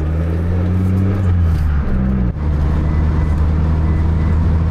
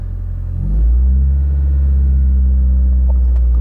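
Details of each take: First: Mitsubishi Lancer (non-Evo) road test after maintenance: steady, deep engine drone at even pitch under load after a brief shift, no slip flare; normal drive. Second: Mitsubishi Lancer on a test drive: engine note climbs sharply and holds a high steady drone under load, revs running ahead of the road speed; worn-out slipping clutch.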